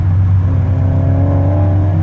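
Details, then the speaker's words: Nissan 300ZX Z32 Fairlady slick top on its first test drive after centre-bearing repair and a new custom exhaust, hot 35° day, driving through a short tunnel: deep, steady drone with slight rasp but no leak ticking. The exhaust leak is fixed. "Certainly the raspiness, the exhaust leak sound is gone. It's good, so we definitely fix that bit."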